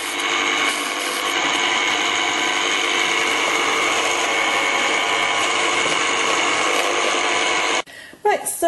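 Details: Cuisinart Precision Stand Mixer SM50U (500W) running with ice cream mixture and the timer on: a loud, steady, high-pitched motor drone with a gritty gear edge, even until it stops. Normal running noise.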